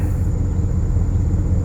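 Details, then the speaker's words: 2006 Porsche Cayenne S (955) 4.5L V8 after EVAP purge valve replacement (P0441); idle has dropped, low smooth even rumble with no surging, no more pulsing that was present before the repair. "Look at that, and no more pulsing. That is definitely what was happening before. Now it's not."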